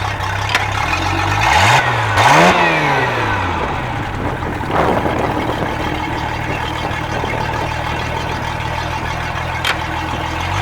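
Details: Sea Ray boat sterndrive after repair of a seized gimbal bearing welded to the drive shaft: engine revs up and settles into an even, steady drone, no grinding or scraping; drive now sounds healthy.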